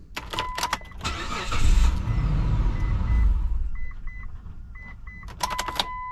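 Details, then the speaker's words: 2004 Mitsubishi Montero, old 20-year-old key, probably the original: short crank, engine fires and runs about two seconds then dies, with chimes before and after; immobilizer ECU gets no transponder code and shuts the engine off, cutting coils and injectors. "see and it does that because the S there's no signal coming out of this guys so the imobilizer ECU says hey wait a minute that's not the right code or there is no code I'm shutting the engine off"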